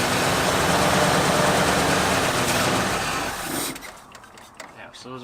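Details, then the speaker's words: 1973 Ford Bronco 302 V8 after 10 years in storage: runs on throttle, then dies within seconds, can't hold idle; carburetor idle circuit not working, possibly blocked by mouse droppings, mixture screws at 1¼ turns out before adjustment. "idle go ahead i don't think we have an idle circuit there is absolutely no idle circuit in this carburetor i do not know why it could be poop that is an option"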